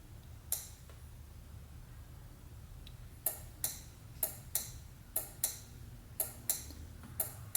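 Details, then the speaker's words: LS-swapped Nissan 350Z, fuel pump relay trigger wire grounded with key on: crisp relay clicks in bursts but no pump whirr; fuel pump not running because the fuse was left out. "okay guys rookie mistake I'll give you five points if you can figure it out forgot but forgot to put the fuse in"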